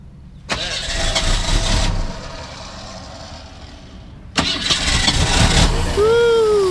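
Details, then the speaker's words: Long-stored 1985 Ford Mustang attempting first start: two long bursts of steady starter cranking, about three beats a second, but the engine won't catch and run; extended cranking, hard start. "well she's starting she's tried come on baby come on baby"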